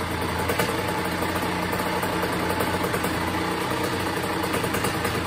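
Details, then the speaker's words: 2001 Honda CR80 two-stroke after a tune-up: it idles low, even and settled, no longer too high. The earlier knocking noise was caused by a loose motor and pipe. "nice low idle it's not too high like it was before you know what I'm saying"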